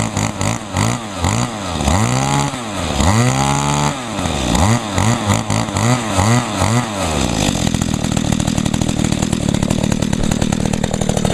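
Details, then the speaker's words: Echo two-stroke engine on 50:1 gas-oil mix with little fuel, started on choke after priming; clean crisp blips, then a steady buzzing fast idle without stalling. Runs real good, normal running. "we go cool yep she runs real good"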